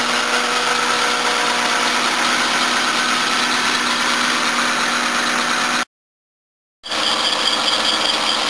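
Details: 1984 Toyota Cressida at cold start, running on all cylinders after about 20 seconds (blocked fuel filter suspected): idle with a steady, high chirping whine. Worn, slipping accessory belt that needs replacing.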